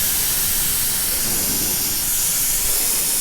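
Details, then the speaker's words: Brand-new 2020 Harley Road Glide Special, under a week old, rear tire punctured by a deep hex-head screw: steady high-pitched hiss of air leaking from the tread, no pulsing. Fix is ream and plug. "Not sure where I picked it up, but I need to get it out. And it is leaking. You can hear it."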